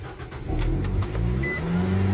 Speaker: Foot's off the gas.